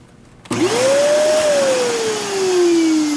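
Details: Kenmore Progressive canister vacuum, made by Panasonic, about six to seven years old: motor starts with a loud rush and clear whining tone that rises, then slowly sags as it winds down.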